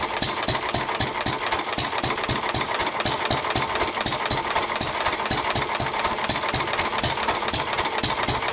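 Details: 1923 3.5 hp Emu (rebadged Hercules) engine, idle 20+ years, after oiling the sticking magneto and exhaust-valve mechanism: crisp, steady beats about four a second with sharp exhaust cracks, no knock; it runs pretty well.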